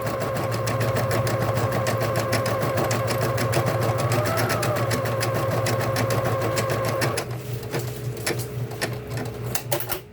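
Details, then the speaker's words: Vintage Bernina Deco650 embroidery machine stitching an applique: quick, even needle ticking at about three stitches a second over a soft steady hum; quiet and smooth, running nicely, normal stitching. "And then you can hear it, the machine is quiet, it runs real nice."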